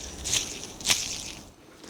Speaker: Yeah, the outboard bearings completely gone. Listen. And the inboard one isn't great either. It's not terrible, but it's not that good.